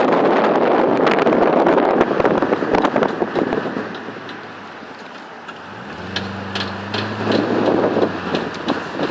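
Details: Holden VY SS Commodore while driving: a quick run of sharp clicks, about four a second, under wind and road noise; intermittent, worse under load and uphill, fading in neutral; traced to a worn rear right driveshaft CV joint.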